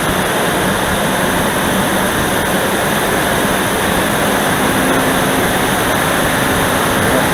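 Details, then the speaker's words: Dodge Dakota V8 on a cold first start: a loud, steady rushing roar from the viscous fan clutch, nearly fully locked, buries the engine note and is expected to subside as the engine warms. An electric fan is being fitted to replace it. "무섭습니다, 무서워. 이 소리가 완전히 횡클러치 소리밖에 안 들리는 거예요. 첫 시동이고요."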